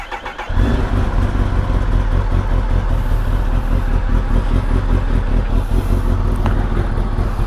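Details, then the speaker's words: Kawasaki ZX-10RR with a new battery and a slip-on exhaust: quick crank, catches at once and settles to an even idle, almost stock sound, slightly louder from the slip-on; healthy start despite the known faulty servo. "ನೋಡಿ ಇದು almost stock sound. ಇದು slip on ಇರೋದಕ್ಕೆ ಒಂದು ಸ್ವಲ್ಪ ಜಾಸ್ತಿ ಕೇಳಿಸ್ತಿದೆ ಅಷ್ಟೇ, otherwise full almost stock sound."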